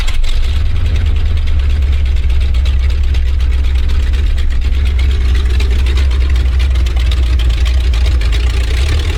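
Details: 1970s Ford dentside ramp truck revived after about 10 years with a Chevy HEI ignition module rigged in: low, smooth V8 idle holding even throughout with no stumbling or misfire; running properly.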